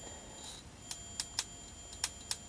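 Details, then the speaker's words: Philips 34cm CJ414 portable CRT TV, possibly CTO chassis, on a hot day: sharp, irregular crackling snaps over a faint high whistle, EHT arcing around the ultor/anode cap before resealing; eases once warmed up. "Ooh yeah, I can hear that crackling. So that's definitely around the ultor cap there."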